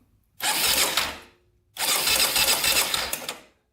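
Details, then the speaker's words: 2001 Honda 400EX quad, sat for years and will not start, low compression suspected: two cranking bursts with sloppy, uneven metallic ticking over the starter whir; loose cam chain suspected, possibly crank bearing. "the cam chains loose something's like really sloppy in there I don't know if it's the crank or what it almost sounds like a crank bearing or something"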